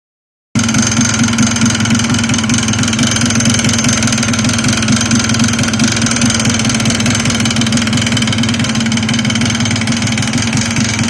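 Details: Yamaha Blaster at steady idle with a fast, even knock over the exhaust note; abnormal engine knock, cause unknown.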